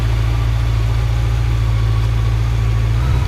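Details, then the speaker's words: Honda Nighthawk motorcycle on a cold start at about 15°F: low, thumping idle holds mostly steady, then stumbles and wavers; choke possibly left on, and the carbs may still need adjusting. Uneven idle. "idle is a little oh there it goes didn't have the choke off maybe I think I still need to adjust the carbs there"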